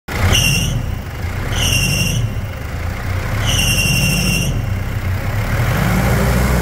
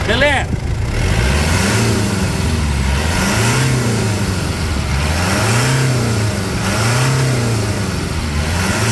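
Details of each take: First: Mitsubishi Pajero Full 3.2 4M41 diesel at idle: shrill whistling squeals in three bursts from slipping AC and alternator accessory belts, before the external belts are replaced. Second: Mitsubishi Pajero Full 3.2 diesel 4M41 after replacing external accessory belts (AC and alternator) that were squealing: revs up and down repeatedly, note rising and falling cleanly with no belt squeal; running normal.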